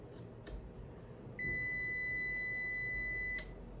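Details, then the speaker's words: Scrap-shop UPS rated about 500–600 W, powering a 20 W bulb, switched from AC mains to battery: a single steady high beep about two seconds long, the warning that mains power is lost and it is running on battery. "உங்களுக்கு எதுக்கு இது beep sound கேக்குதுன்னா நம்ம சிஸ்டம்ல use பண்ணும்போது நம்மளுக்கு power போயிடுச்சுன்னா இல்லைன்னா தெரியாது. அதுக்காக இந்த பீப் சவுண்ட் கேக்குது."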